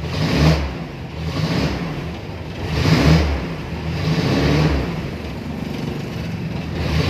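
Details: Toyota Tamaraw FX gas engine, previously cranking with no start, after rewiring the yellow wire to ignition coil positive, runs in neutral with revs rising and falling smoothly, no misfire or knock; normal running.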